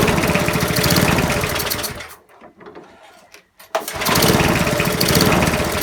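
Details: Non-running eBay spares petrol mower after reassembly with fresh oil and petrol, first test start: small single-cylinder chugs fast and even, dies briefly, then catches again and runs steadily with rapid regular beat.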